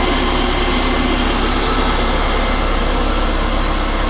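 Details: Nissan D21 Hardbody after ASI 2-row radiator install, fans wired to ignition, temperature sensor and battery via fuse, antifreeze filled, engine barely warm: steady even rush of fan air over smooth idle, no rattles or scraping; electric cooling fans running normally.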